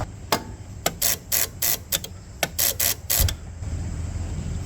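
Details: Generac 16kW standby generator, no start after power outage: quick bursts of sharp clicking, about three per second, no starter spin when the controller commands crank; starter spins on direct 12 V to wire 16, so owner suspects a fried controller, possibly from the battery.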